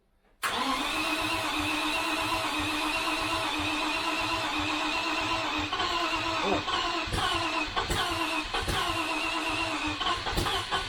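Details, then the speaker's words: 1973 Range Rover V8 at first start cranks and tries to run with good oil pressure, but irregular sharp pops spit back through the carburettors; the likely cause is incorrect ignition. "back foreign again because the popping you can hear it through the throttles it's likely because the ignition is um is not correct"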